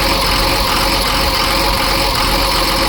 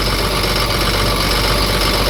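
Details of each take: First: Cummins diesel in Ford F750 truck, first start after sitting years, after empty fuel filter filled: steady idle clatter under some hiss, no clear miss left; normal idle. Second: Ford F750 Cummins diesel that sat for years, idling with a seized alternator pulley; uneven beat with an occasional skip, owner suspects an injector.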